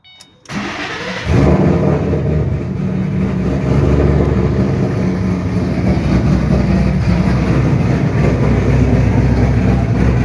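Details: 2007 Shelby GT500 supercharged V8 with newly installed L&M NSR camshafts, Venomous Tuning tune: cranks, catches quickly, then holds a deep, choppy, steady-rhythm lope at idle. Normal cammed idle.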